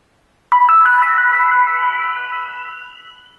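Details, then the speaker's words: Yuneec Q500 Typhoon transmitter powering on: short bright chime of a few ringing notes fading over three seconds after boot; normal startup tune. "now it's takes a little bit of time to actually boot up but you do get a little musical tune once it's actually powered on"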